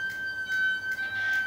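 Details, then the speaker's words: Pacific Noris 2.1 folding bike, front mechanical disc brake before adjustment: a squeak recurring about every 0.4 s over a thin steady whine as the bike is walked forward; the front pads are rubbing the disc rotor. "Bisa kita dengarkan saat sepeda dituntun maju, remnya berbunyi."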